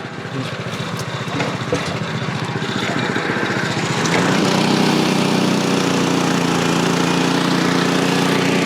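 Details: Frontier OS23 portable sawmill cutting old-growth southern yellow pine: steady petrol engine drone that deepens and loads up as the blade bites, pulling down slightly but holding speed; motor note change shows correct feed rate.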